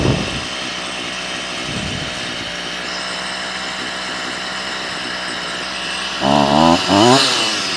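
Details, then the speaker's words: Stihl FS38 two-stroke strimmer during carb tuning: fast, steady buzzing idle with the trimmer head still turning; idle speed too high, about to be knocked down a touch. "I've got the strimer up and running it's iding a bit too fast now because uh the head of the strimmer is spinning so I'm just going to knock that down a touch"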